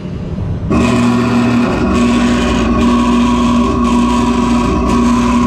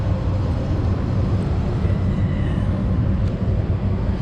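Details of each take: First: Lochinvar boiler not firing, with a stage-two low air alarm; the filter is nearly new. One of two inducer fan motors kicks in abruptly with a hum whose tone drops in and out; the inducer is hard starting. The capacitor is suspected and AMRAD caps were later fitted. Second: Lochinvar boiler after reassembly with air slider reset: smooth, even low rumble with no knocks or rattles, holding steady; boiler and inducer fan running normally.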